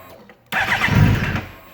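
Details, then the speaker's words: 2008 Suzuki GSX-R 600, freshly rebuilt, cranks, catches briefly and dies within a second, holds only with throttle held; fix was resetting the ISC valve learned value. "Yeah, no, still nothing. If I hold the throttle while I start it, it'll run for as long as I hold the throttle, but as soon as I let go, it dies out."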